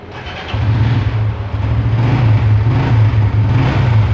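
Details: Used red motorcycle, stock exhaust, about 14,000 km: engine catches quickly and settles into an even low idle, no knocks or misfires; smooth healthy start and idle.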